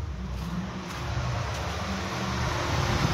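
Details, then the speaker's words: 2007–2015 Toyota Camry, ignition on with the engine off: a steady, even whooshing hum as the radiator fan runs continuously. Fail-safe mode was triggered by disconnecting the electronic thermostat wire to bypass a faulty fan control module. "The ignition is on. You can hear the fan humming right"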